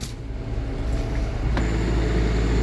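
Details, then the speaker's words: Repaired generator in a 2019 Allegro Red motorhome, front AC plus battery charging on a near 100-degree day: steady low drone firming and settling as AC load comes on, even speed, no hunting; normal running under load. "took a load we're doing good all right i'll just let that run for a little bit"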